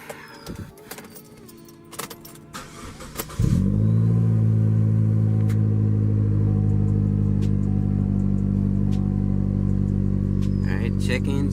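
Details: 2015 Chevy Cruze LT after replacing the valve cover/PCV valve that was sucking in air (whistling, rough idle, check engine light): short crank, quick catch, then a smooth, even idle with no misses or hunting. Normal idle.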